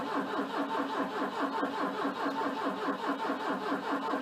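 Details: Volvo 242T: steady rhythmic starter churn with even pulses that never catch; cranks but won't start, despite fuel pump relay clicking, injectors firing, 14° ignition advance and 11.9 V battery.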